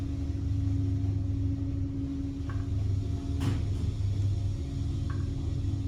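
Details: Traction elevator (Otis/Dover tagged) in travel: deep, steady rumble with a constant low hum, like a passing train; rough running, suspected bad hoist bearing.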